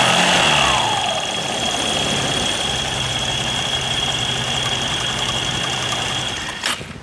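Idling scooter with a steady raspy hiss and thin high whine riding over the engine: dry rear pulley slider rails.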